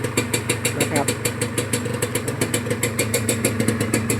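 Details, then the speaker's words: Honda NSR150RR two-stroke that came in hard to start and wouldn't rev, after a new spark plug and air-screw tune: starts easily, revs fine, even steady burble about three pops a second, quiet, no misses or knocks; healthy idle. "สตาร์ทง่ายครับก็เร่งได้อยู่เร่งเร่งโอเคอยู่ครับเสียงเครื่องก็เงียบอยู่"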